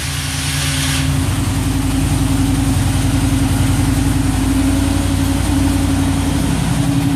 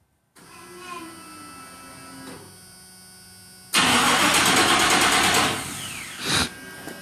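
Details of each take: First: 1987 Chevrolet C10 R10 truck with throttle-body TBI engine, after sitting a few days: catches and settles into a steady, deep, even throaty idle with no knocks or misses; normal idle. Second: 1987 Chevrolet C10 truck with a throttle body TBI engine, cranked by remote start after sitting a few days; the starter turns the engine in a quick steady rhythm for about two seconds, then drops off without catching; no start on the first attempt.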